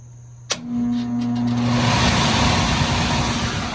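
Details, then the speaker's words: 1986 Whirlpool central air conditioner, indoor blower fan started after evaporator coil cleaning, condenser unpowered; a click then a steady, even rush of air without rubbing, squeal or rattle, blower running normally. "lots of air is blowing through there i clean the evaporator coil"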